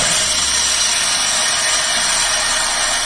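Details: Chevrolet Tavera, loud noise when started: steady high-pitched rushing whir over the idle with no knocks or rhythm; worn belt tensioner pulley bearing.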